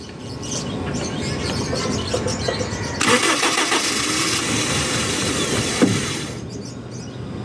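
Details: Starter relay bypassed and jumped with key on during fuel pump troubleshooting: starter grinds, engine catches briefly then fades and dies, won't keep running; owner suspects something stuck and plans to pull the intake, fuel pump suspected.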